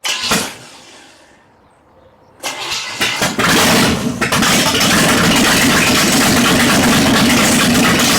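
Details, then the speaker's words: Open-header 1960 El Camino, last registered 1979 and unrun about 40 years, first start after plugging direct intake vacuum leaks, choke held open: loud, uneven loping idle, beats rising and falling; owner suspects an aftermarket cam. "I think someone put a cam in it I don't know that's what it sounds like ah open headers sound like cams"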